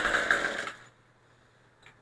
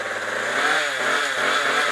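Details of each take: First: Craftsman Speed Start trimmer power head, after carburetor and fuel line replacement, choke on, primer bulb pumped, throttle cable off: a long quiet stretch, then a few sharp pull-cord rips with no firing. Won't start; owner suspects flooding. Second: Craftsman Speed Start trimmer power head, built 2009, after carburetor and fuel line replacement: a buzzy, high two-stroke note that climbs smoothly with throttle, with no sputter or missed beats. The engine runs cleanly.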